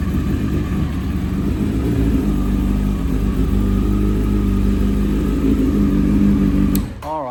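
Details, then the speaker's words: 1992 Honda Fireblade under restoration, running on fresh fuel after fixing its new fuel pump, during a leak test: a low, uneven burble for about seven seconds, then the engine cuts and dies. A fuel leak was found afterward. "Wasn't that cool just to hear it burble a little?"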